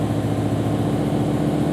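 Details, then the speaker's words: BMW E63 M6 S85 V10 idling with a slightly uneven, lumpy beat; fault codes show cylinder 9 misfire, engine in safe mode on half the motor, caused by a failed cylinder 9 ignition coil. "and it tells us that we have a misfire on cylinder night right there"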